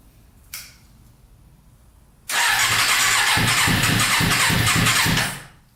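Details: Custom Yamaha Banshee with 600cc sport bike engine swap, not run in a while, no tank fitted, choke on after freeing a leaking carburetor float: fires up sharply, runs rough and busy about three seconds, then fades and dies; stalling from fuel starvation.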